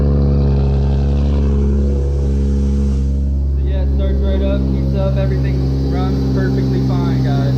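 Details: 1997 Toyota Supra 2JZ-GTE, power steering pump running on ATF, before replacement: smooth idle, then a rising moan and chirping squeal as the wheel is turned. Pump straining is suspected, not confirmed.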